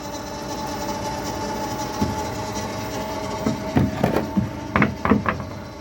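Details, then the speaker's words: Electric Yacht 10.0 electric motor at about 1000 rpm, heard with the cover removed. Steady, even mid-pitched hum with a few background bumps, no noises: normal running. "And then when I take this off, there's the motor. No noises. Running like a champ."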